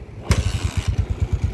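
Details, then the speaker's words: Honda TMX155 single-cylinder motorcycle after replacing the head with worn valve guides and valves with a 155 cylinder head: sharp catch on starting, then a steady, even beat of about seven pulses a second with no ticking; normal start and idle. "yon all napak silensyo na mga bossing yan wala na yung kuliglig na andar kanina"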